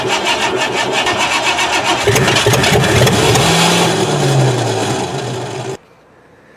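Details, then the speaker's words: 1988 Ford Crown Victoria sat about 5 years, after fresh fuel and cleaned distributor cap: rapid even cranking, about four beats a second for nearly six seconds, never firing; failed compression test, gas in oil, oil in antifreeze, engine junk. "after about 6 hours of trying to get this car running the motor is garbage I did a compression test the car failed"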